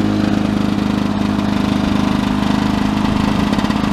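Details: 1982 Lawn-Boy 5126 mower, OMC F-380 two-stroke engine, first start of 2017 outdoors at about 17°C in wind: steady, even buzz with regular firing and no misses or rattles. Nothing wrong, running normally.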